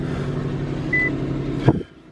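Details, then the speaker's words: Infiniti M37 (MX-37) with 244,000 miles, likely an ex-cab, at a Copart auction: it starts right up and settles into a steady, even low hum with no knocks or misses, a healthy idle. "Let's see if it starts. Starts right up. Whoa."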